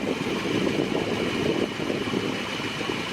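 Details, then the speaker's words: 1959 Dodge Custom Royal Lancer after balancing the carb mixture screws side to side: steady, crisp, smooth idle with no misses or stumbles. Fuel smoke gone and the tune is expected to hold. "This thing will fire up and run real good now, and it's going to keep that tune like I did running crisp for a long time."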